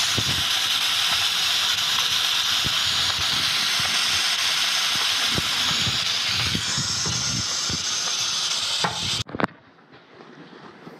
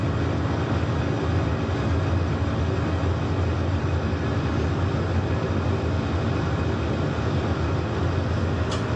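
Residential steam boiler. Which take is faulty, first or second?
first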